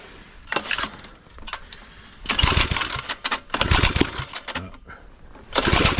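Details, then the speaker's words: Small secondhand tiller bought for €20, air filter removed and starting fluid sprayed into the intake: several quick rope pulls with rattling, rasping bursts, engine turns over but never catches; owner suspects fuel not reaching a possibly clogged carburetor, unconfirmed. "parce que là j'ai l'impression qu'il y a un vrai problème parce que même au start peace ça démarre pas"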